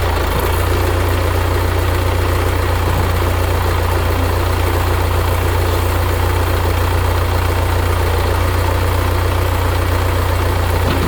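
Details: 1975 Case 680CK backhoe diesel after long sitting, oil change and new batteries, throttle reset after being bumped back: steady deep idle drone, even with no misses or knocks; engine running smoothly.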